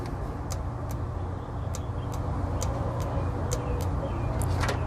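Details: Subaru Sambar KS3/KS4 mini-truck carburetor with a low engine rumble; sharp, uneven clicks as the fuel cut solenoid snaps in once power reaches it; solenoid working.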